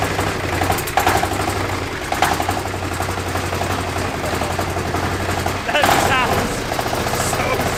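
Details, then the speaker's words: China-made 1300cc diesel V-twin for a go-kart, first run strapped on a table: low even diesel thrum settling quickly after firing, steady beat, no knocks or misfires; healthy and responsive. "I mean, That sounded awesome. it did. It sounded good. Nice and responsive. Yeah, and just like that twin grunt."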